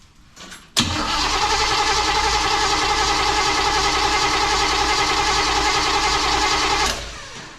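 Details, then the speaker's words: 1935 Oldsmobile sat for many years, rewired, first start attempt, fuel pump working, primed with fuel: six seconds of even brisk cranking with no pop or catch; no ignition because the distributor was left unplugged. "nothing we're not even getting a little bit of a pop let me check something H okay yeah I didn't plug in the distributor"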